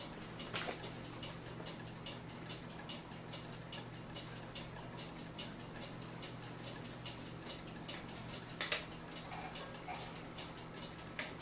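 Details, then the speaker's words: Vintage United electric swinging-bell clock, after waxing the bell's wooden block that caused an irritating noise and oiling the movement; steady even ticking with faint hum underneath, running quietly and healthy. "we were able to quiet down the clock and now it's a really nice clock"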